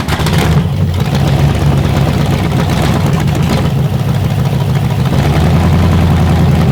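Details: Carbureted Chevy 350 small-block on a test rack, first fire-up before warm-up, timing set on the fly: a deep, steady V8 idle, even and unbroken, with no knocks, misses or ticks; it sounds healthy despite a small gas leak.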